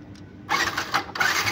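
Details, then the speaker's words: Yamaha Byson that won't start, starter motor tested directly: short bursts of high, free whirring with no cranking underneath, so the starter motor spins but the bendix doesn't engage the ring gear; the fix is replacing the bendix with an original part. "berarti ini dinamonya jalan berarti kerusakan ada di bendik"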